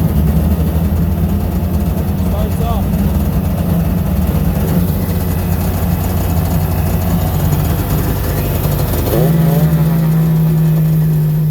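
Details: 2005 Sea-Doo GTI 717 two-stroke, first fire-up after carb rebuild, new oil lines and oil injection pump setting, started with starting fluid in the carb intake: rough idle rising to a higher, even note around nine seconds; runs cleanly.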